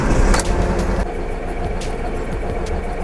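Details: Alfa Romeo GT just after start: idle stumbles in an uneven, lumpy beat with engine light, a dead cylinder; misfire moved from cylinder four to three after swapping coils, confirming a failed ignition coil.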